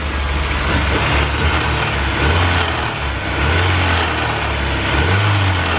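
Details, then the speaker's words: Honda S2000 under hood, engine revved: loose metallic rattle rising with revs from a loose alternator and loose manifold brackets; knock sensor picked it up and pulled timing, causing low power; also runs rough and stalls. "It has a noise in the engine when you rev it up, and also it stalls, and customer reported it just runs a little rough."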